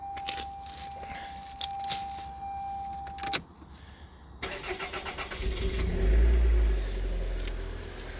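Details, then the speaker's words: Toyota MR2 SW20 that sat unused until its fuel pump seized; the pump was freed by applying reversed current and now draws 5.6 A at 13.8 V; keys rattle, then a short burst of even cranking before it fires and settles to a steady idle. "cars fixed and i didn't even have to jack it up excellent and the moment of truth i'm going to try starting it"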